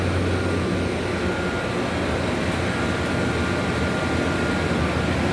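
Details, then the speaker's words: 1994 Whirlpool 2-ton (~25,000 BTU) R22 window air conditioner, Bristol reciprocating compressor on first startup: smooth steady hum and airflow with no knocks, running normally, with freezing discharge. "But yeah, this Bristol sounds pretty contented, and for the first start, and who knows how long."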